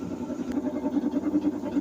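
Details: Washing machine as the drum winds down to a stop: low hum pulsing about seven times a second, a small abnormal noise at stopping with no cause identified.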